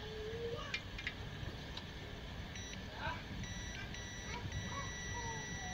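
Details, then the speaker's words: HP 800 G1 (4th-gen) PC board, which had a red power light and 4 beeps from a shorted VRM section. A removed MOSFET gives steady continuity beeps in diode mode, about 2–6 ohms, shorted source-drain and gate. "yes 6 ohms okay 2 ohms it means this is shorted from it source and drain it is shorted okay so and the gate is also shorted it shorted from all three sides which mean the mfit is shorted"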